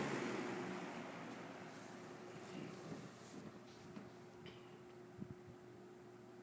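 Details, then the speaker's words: Superlectric Model 2072 two-speed box fan, new old stock, plastic-shelled motor: quiet fan with a faint, steady hum and slight whine, most audible on low speed; new motor hums, which may go away in time. "the motor does still have a little bit of a wine to it when it starts up then has kind of a hum when it runs but that may probably go away in time"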